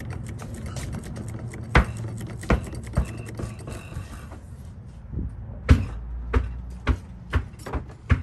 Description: Customer States. My vehicle has a loud clunking noise while turning and during acceleration. Dodge Durango drive axle noise. Drive axle loose on a Dodge Durango.